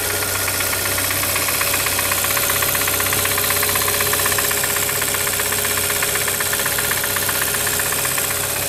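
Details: Brand new 2013 Hyundai Santa Fe at steady idle: sharp, regular knock about 158 per minute, clear above the engine hum; wrist pin or piston defect suspected, not confirmed.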